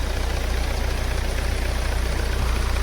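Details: Hyundai/Kia Sportage idling after a jump start from a 10.5 V battery: steady, even low pulse with no misses or knocks. Charging reads 13–14 V, fine.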